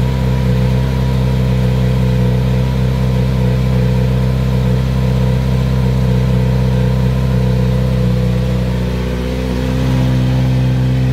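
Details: Kawasaki Z900RS at about 1600 miles, idling cold: steady, even idle sitting noticeably fast with no misses or knocks; high cold-start idle, a known trait of this bike.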